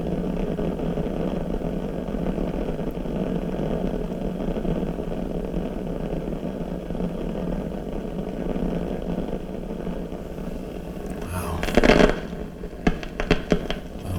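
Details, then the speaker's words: 1940s RCA CR-88 radio receiver being restored, after mica capacitor and RF-stage resistor replacement, testing the mixer cathode bypass capacitor: a constant rough hiss with a low rumble, then sharp crackling bursts. This capacitor is noisy too. "so let's try this out you know that's noisy too I can hear that"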